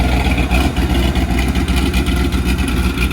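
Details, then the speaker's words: 1994 Corvette LT1 after an engine rebuild, with a ZF manual gearbox, single-mass flywheel and unsprung clutch, idling in neutral: light, uneven gear clatter from the transmission; expected gear rattle from this setup, which the owner accepts. "okay here we are we've got the uh car idling and of course the transmission's in neutral you can hear right now a little bit of a gear noise it's all coming from the transmission that's what happens when you have a single mass flywheel and an unsprung clutch"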